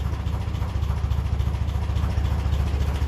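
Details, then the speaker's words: 1957 Ferguson 35 TVO tractor at idle, just touching 400 rpm, started without choke: slow, even low thumping about three and a half beats a second, no exhaust spitting from a lean mixture; normal idle. "just touching 400 Reds per minute so it didn't need choke today"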